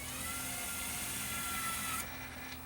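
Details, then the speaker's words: Luxman KX100 cassette deck, motorized door motor after repair and mechanism remount: faint even whir for about two seconds, then the cam switch stops and locks it cleanly; panel drive working normally. "that works so there's that cam brass cam when you turn it on and then the switch signals it to stop turning and it locks it there until you release the power"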